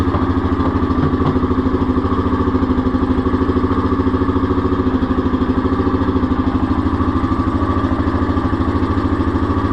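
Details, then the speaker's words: 2021 Yamaha Grizzly 700 ATV after installing an EHS tuner fuel programmer on the injector harness, ground reconnected: engine starts and settles into a steady, even idle pulse with no knocks, misses or hunting; no fault codes, normal idle. "Put our ground back on first, but we're going to fire it up and make sure everything seems fine. There's no faulty codes or nothing on here."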